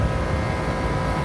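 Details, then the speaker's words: Rooftop kitchen AC second stage, flat on refrigerant with cracked reversing valve, compressor bumped: heavy hum with rough throbbing vibration; bad compressor vibration cracked the valve, sounds possibly dry on oil. "That compressor's bad. There's a vibration in that, and that's what cracked the reversing valve."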